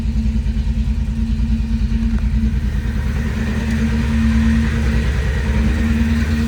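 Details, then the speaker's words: 1990 Pontiac 6000 SE AWD that sat 20+ years, warming up with oil pressure and charging voltage, a slight miss and a rubbing muffler. Intake gaskets were left off, and the uneven, loping idle comes from that vacuum leak: rough running. "It runs like crap just because it has a vacuum leak. I probably should have put the gaskets on it, but I didn't."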